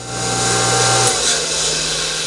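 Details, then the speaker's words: Sand Dollar two-speed pool pump that hummed with a bad capacitor, after capacitor replacement, switched to high speed: steady, smooth motor hum with a small step down in tone; motor starts and runs normally. "There you go. See that? The pump runs. High speed."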